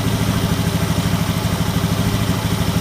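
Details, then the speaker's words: Honda Scoopy FI scooter after fixing the faulty side stand switch: engine putters evenly with no stumble, initial throttle pull now smooth and light. "Oke, normal, sudah tidak berebet lagi. Pada saat digas awal tarikan lebih enak, enteng."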